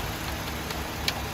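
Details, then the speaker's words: Car AC recharge with manifold gauges after UV dye injection, engine idling, both sides open: even idle with constant airy condenser fan rush and the compressor running, no clicks or cycling; vent air getting cold. "And you can tell that the compressor is working. And you can hear the AC fan coming in. Taking the hot air from the condenser, moving it out."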